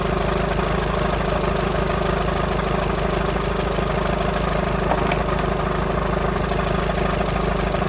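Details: VW Sharan 7N 2.0 TDI common rail diesel (CFFB), cold start after new timing belt, injectors refitted and fuel lines drained without bleeding; light fairly regular rattle over idle clatter; owner suspects tensioner pulley, not engine, unconfirmed.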